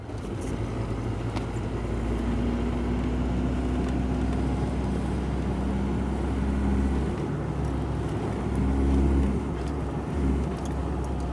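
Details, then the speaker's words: Ford Ranger 3.0 Power Stroke, 175,000 km, after transfer case repair, road test with microphone near gear lever: low steady road drone and engine hum, no whine; noise that seemed gearbox was transfer case, now quiet. "Vocês viram quanto que ficou, parou o barulho? Parecia que era no câmbio e era na caixa de transferência."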